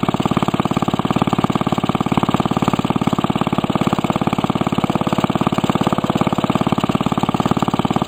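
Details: Restored 1945 Briggs & Stratton Model WMB single-cylinder engine with a rope starter, run after repainting; fast, very even firing of roughly three a second, no misses or knocks; normal running.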